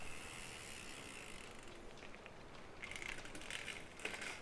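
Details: Shimano XT M8110 12-speed Micro Spline rear hub, fairly new: faint dry creaks and ticks in bursts over a quiet background, the freehub creaking from dry, under-greased internals.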